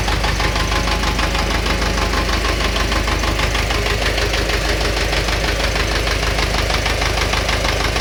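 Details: Steady, regular internal engine knock at idle, about one and a half beats per second, never letting up.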